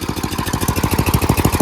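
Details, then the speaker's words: Craftsman 928 dual-stage snowblower, 9 hp Tecumseh engine, after carburetor cleaning (jets cleared) and a quarter-turn governor/idle adjustment for surging: at full throttle firing pulses hold a fast, even beat with no hunting; steady full throttle, no surging. "Quarter turn on that, so now the RPMs are faster. That's idle. And as you can see at full throttle,"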